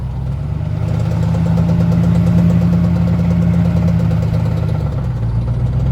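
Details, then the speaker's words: Truck that couldn't climb a hill, four-wheel drive not working properly: steady low drone with an uneven low throb; drivetrain noise, cause not pinned down. "so apparently my four wheel drive doesn't work properly I'm not sure what's going on with it"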